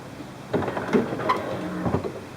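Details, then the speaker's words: 1994 Chevy Corvette C4 headlight motor after replacing the worn plastic gear: short soft whir with light clunks as the lamp lifts and lowers, no grinding or motor run-on after it is down. Normal headlight motor operation. "Nice light. Sounds really strong. Um, everything's functioning perfectly. Goes up and goes down. No grinding, no uh excess motor running."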